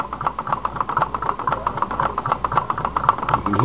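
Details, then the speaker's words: Alcohol-heated fan Stirling engine refitted with a wheel on each side of the crank: light, quick ticking about seven a second with a faint drag each stroke; the worn, thin brass displacer rod is rubbing. "got a little bit of resistance on the uh displacer"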